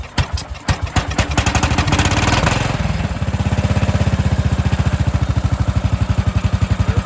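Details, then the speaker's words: Cub Cadet 2146 lawn tractor, 14 hp single-cylinder Linamar engine, sitting 3 years, started at full throttle with frozen choke and battery help: catches, revs briefly, settles into a steady, evenly spaced putter; normal idle. "We've let the engine idle for a little bit, let it get nice and hot."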